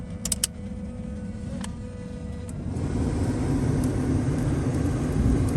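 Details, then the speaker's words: 1980s GM G-body HVAC, engine idling, after reconnecting a disconnected cigarette-lighter harness cable: steady airy rush swells in and holds even without rattles; airflow restored, normal blower operation. "But yeah, so that's it for this one, man. We got airflow now, y'all. We have airflow."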